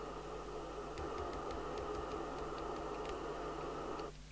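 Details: Midland 4001 CB27/81 UK FM CB radio on channel 19, RF gain switched to local, heard through the test equipment speaker: steady, even receiver hiss with a few faint ticks, then a quiet drop-away; receiver working normally.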